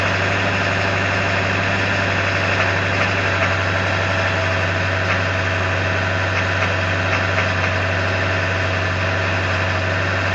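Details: 1999 Ford F350 7.3L diesel in gear at high idle: deep steady drone with a faint uneven knock tapping about four times a second; owner unsure of source.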